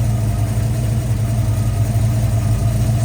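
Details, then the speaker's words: Ford Falcon 5.0 V8 restarted after clearancing the head's pushrod holes and replacing a water-leaking part with a new gasket: starts right up to a steady, even low idle rumble with no knocks, ticks or stumbles. "well that thing started right up huh it was ready"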